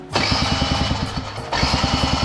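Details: Honda Joker 50 scooter that sat long and won't start: two bursts of even cranking about eight beats a second, never fires; no spark at plug, stator output present, CDI box suspected faulty.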